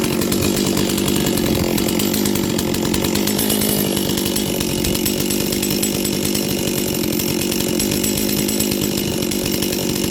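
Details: Old Stihl 036 chainsaw after troubleshooting (good spark and compression; carb primed, possible bad carb kit suspected): crisp, steady two-stroke howl holding even revs without stumbling; running cleanly.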